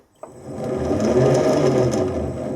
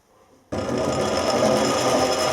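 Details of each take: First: Lathe change-wheel setup with straight-cut gears deliberately meshed too tight with no backlash: steady whirring drone with harsh tight gear whine as the gears bind; change gears meshed too tight, binding. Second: Lathe straight-cut change gears reset from too tight to proper backlash: steady whirring mesh with even rasp, no binding; much quieter than when set too tight, some noise normal for straight-cut gears.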